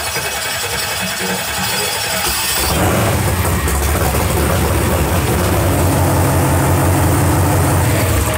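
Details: 632ci big-block Chevy in a 2016 Ralls Precision Machine Cheyenne jet drag boat, run without an alternator on a smaller 12 V battery instead of 16 V after a dead battery: it cranks and catches within seconds, then settles into a steady, even idle. It starts and runs normally.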